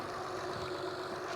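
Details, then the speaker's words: Honda/Acura at cold idle after replacing ignition coils and cleaning the throttle body: steady, even idle with no stumble or misfire beat, a smooth hum under some wind hiss; previously louder and shook more, owner believes one or two coils were failing. "ounds so much better the engine actually does it sounds a lot better after using after replacing the ignition coil definitely sounds quieter before the engine was a lot louder and it shaked a little bit more"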